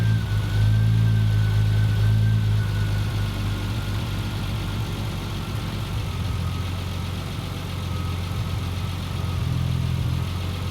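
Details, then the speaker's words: Triumph TR6 with Patton Machine TBI fuel injection warming past about 160°F: the IAC closes fully and the RPM drops, then the engine settles at about 900 rpm with a smooth, even low hum and no knocks or stumbles, a normal warm idle. "there you go it's completely closed now and we're stabilized at 900 RPM or in the neighborhood"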